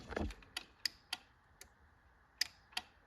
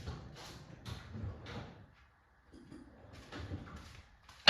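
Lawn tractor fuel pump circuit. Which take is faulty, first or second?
first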